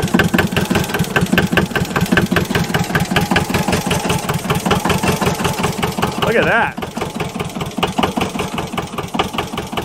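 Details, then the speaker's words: JLG 40H diesel man lift being fuel-primed after long sitting: short starter bursts about one a second, catching just enough to kick the starter out then stalling, finally settling into a rough, lumpy diesel run; starter thought fine once fuel is primed. "e it catches just enough to kick the starter out but then it stalls out again so I think once we have this thing actually fuel primed through it and it's reliably starting every time I don't think we're going to have a starter issue so just quick short trips on the starter button seems to be the best"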